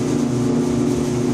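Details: Five-year-old Electrolux EIED55H dryer with loud coarse buzzing, low drone and vibration every 45–60 seconds; caused by failed blower assembly, fixed by replacing blower assembly and motor bracket.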